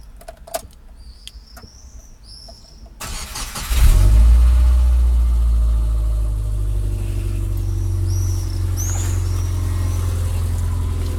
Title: piston slap na zimnym?